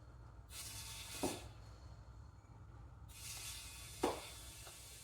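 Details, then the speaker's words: 1962 International Cub Cadet Original garden tractor tire being inflated to 30 while trying to seat the bead: two long bursts of sharp, steady hissing, air leaking at the unseated bead, which seems to be slowly seating. "that's 30 and it's still leaking like crazy but I'm not going any more than that sounds like it's actually slowly seating though"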